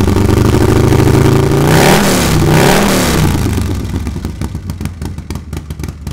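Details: Harley-Davidson Milwaukee Eight with new S&S MK 136 crate engine and 550 cam, first start: fires up, clean throttle blips, settles to lumpy even idle; sounds healthy, probably needs a little fine tuning.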